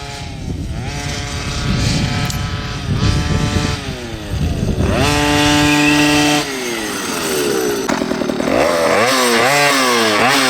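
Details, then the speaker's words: OBR 46cc two-stroke with silenced pipe in an upgraded Losi 5T 1/5-scale truck, in cold weather: it blips cleanly from idle to high revs and back with no bog. Healthy, crisp running. "- That pipe sounds awesome, bud. The fuel smells like it's a perfect burn."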